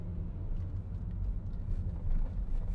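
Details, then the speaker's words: 2011 Volkswagen Jetta accelerating while driving after misfire repair (codes P0300–P0305); low even rumble building smoothly with no stumbles, idles nicely, misfire fixed. "oh yeah oh so much smoother accelerations perfect awesome all right so I can pretty much say with confidence that we have fixed this misfire issue it's idling very nicely accelerates smoothly"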